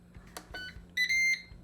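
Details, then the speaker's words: New Ninja Crispi glass air fryer, power pod on 6-cup container, air fry mode, 10 minutes: brief high electronic chirp of about half a second when start pressed; normal start beep. "And immediately you can hear they have their signature beep sound."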